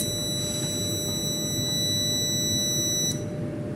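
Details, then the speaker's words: UPS with no power output, before repair: steady high-pitched beep holds unbroken about three seconds then cuts off; continuous fault alarm, typically from a failed MOSFET or battery not charging. "මොකද සාමාන්‍ය common UPS එකක් ගත්තොත් මේ වගේ එක දිගට beep සද්ද එනවා කියන්නේ අනිවාර්යෙන් මෙන්න මේ MOSFET ගිහිල්ලා හරි මේ බැටරිය අවුල් වුණාම"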